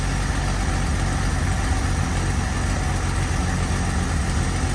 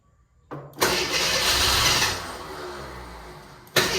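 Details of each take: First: Carbureted AMC Eagle after turning the mixture screws out another half turn each, following a sizzling suspected air-fuel or vacuum issue: low, steady, even idle with no stumble or miss, a smooth purr. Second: AMC Eagle with new starter, water and transmission fluid leaks; starter whirrs, engine catches briefly with a rough burst then dies, won't stay running though fuel pump confirmed working.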